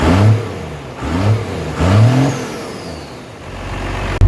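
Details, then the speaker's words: 12-valve Cummins diesel just fired up after installing a new XDP high-output alternator, replacing one with a failed bearing; three quick blips to burn it in, rising and falling cleanly, no squeal, grind or rattle: normal revving. "We'll give it a couple revs just to make sure everything's burnt in."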